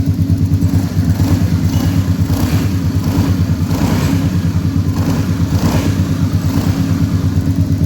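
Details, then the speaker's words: Honda Beat eSP scooter that suddenly stalled and was hard to start, now running after an electrical/ECU socket wiring fix; steady, even low putter at idle with no misses or stumbles. Normal idle after repair. "Nhưng có thể nó vẫn có thể quay được vì nó chưa thể khởi động được . Được rồi, động cơ đang chạy."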